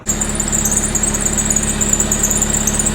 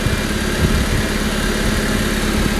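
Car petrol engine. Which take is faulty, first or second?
first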